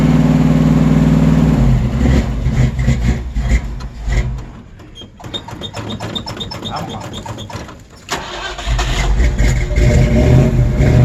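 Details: Old Ford Bronco first cold start after lots of pedal pumping: engine catches briefly, stutters unevenly through several seconds of cranking, then fires and settles to a rough idle. Hard cold start.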